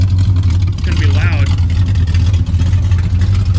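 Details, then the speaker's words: 1955 Ford COE truck after brakes, throttle and wiring work: deep, steady low rumble, even beat, no knocks or misses; runs normally but exhaust so loud earmuffs needed. "so we're gonna have to get some earmuffs or something for the way home"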